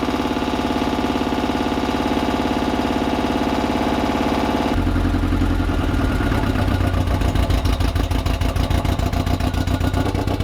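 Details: 1986 Porsche 944, last registered 2006 and seldom run, catching on starting fluid with a very dead battery and an aftermarket stainless exhaust: lumpy, uneven idle with a stumbling beat that changes partway; rough running on first start.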